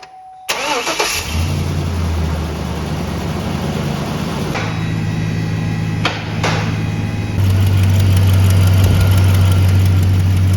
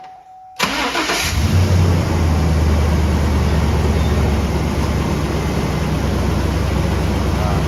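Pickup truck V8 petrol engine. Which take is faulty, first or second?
first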